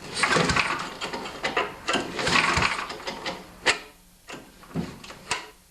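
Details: Older 3.5–5 HP Tecumseh recoil starter on a small MTD-made John Deere snowblower, after repairing a cord that would not rewind: quick pulls with a crisp ratcheting rattle, cord rewinding cleanly each time; recoil works after repair.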